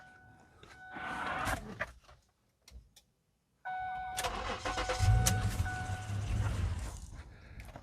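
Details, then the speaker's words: Auxito AJ01 portable jump starter with air compressor: cranks briefly, unit shuts itself off with clicks inside, then the engine catches and runs; jump starter cutting out during cranking. "It seems to shut it off on its own. You can hear it clicking inside, but it does pop you off, get you started."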